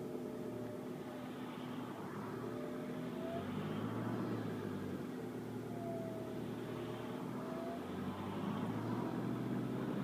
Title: Whining noise VW Golf MKV Tdi